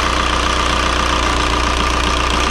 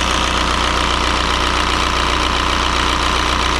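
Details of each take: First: 2003 VW Jetta TDI 1.9 ALH diesel with newly fitted 11mm Bosch VE injection pump, cylinder cut-out test: steady idle turns lumpy and rough when one injector line is cracked open, showing that cylinder is contributing. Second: 2003 VW Jetta TDI 1.9 ALH diesel just after fitting an 11mm Bosch VE pump, air likely out of the lines: even, steady idle clatter with a regular beat and no stumbles; normal idle.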